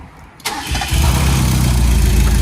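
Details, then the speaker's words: 1.6 Mazda Miata with reportedly new spark plugs, ignition coils, fuel filter and upgraded fuel pump, fresh 5W30 oil: short crank, catches at once and settles to steady even idle, some smoke likely from the added oil; healthy start. "It's on, wow. We did not, oh, it's smoking. Oh, that's probably because of all the oil I put. I did not expect it to turn over so easily."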